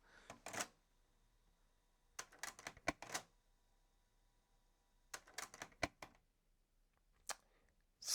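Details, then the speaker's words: Early-90s Sherwood DD-3010C double cassette deck, second deck, retested after swapping in a slightly smaller belt. Short bursts of plastic clicking and clunking with silent gaps, no steady run, reels not turning. Cause: broken post on the rotating transport cam gear. "got some kind of issue there so I pulled apart the second deck one more time and I think I found the issue and it relates to this plastic piece here"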